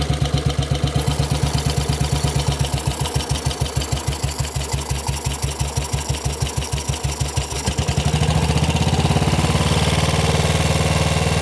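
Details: Model 8 motorcycle engine, recorded cold then hot, with heavy rhythmic thumping at idle smoothing into a faster drone as revs rise; knock more noticeable at 40 mph and above, cause unknown.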